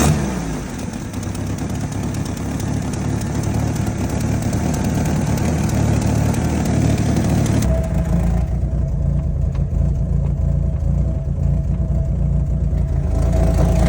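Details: 1989 Jeep Wrangler YJ 4.2L at idle: low, uneven, loping pulse about four beats a second that doesn't settle. Rough idle, cause not yet determined.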